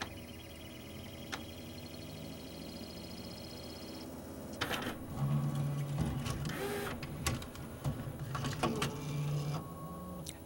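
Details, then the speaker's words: CLD-M301 laserdisc player switching to side B: mechanism clunks, low motor hum drags up slowly and cuts off; longstanding fault where the motor won't spin up fast enough in reverse, side change fails. "what just happened was it tried to switch to side B and failed. This machine has some bizarre issue where the motor will not spin up fast enough in reverse."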